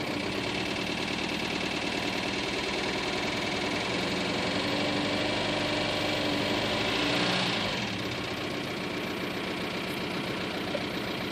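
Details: 2000 ALH TDI diesel at idle with no power and white smoke: a hard rattling knock with an uneven beat about 2.5 per second, a random misfire. The owner has heard the injection pump may be feeding a bad cylinder; not confirmed.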